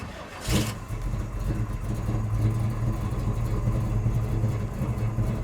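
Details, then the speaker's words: 1970 Chevrolet Chevelle Malibu Super Sport clone restomod with big-block V8, cold start without touching the gas after fans and fuel pump prime: short crank, instant catch, deep steady burble settling to an even idle; healthy. "turn the key just a little bit some fans come on fuel pump comes on i don't hit the gas pedal at all"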